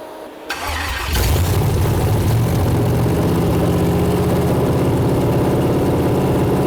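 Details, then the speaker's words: First start of a freshly built junkyard Gen 4 LS truck V8 (6.0 or 5.3) with upgraded cam, springs and valvetrain, on Holley EFI with no IAC, throttle worked by hand; brief crank, catches within a second, strong steady idle, no misses or ticks; about 30 oil pressure seen. "Nice. That sounds like a car, man. Woo!"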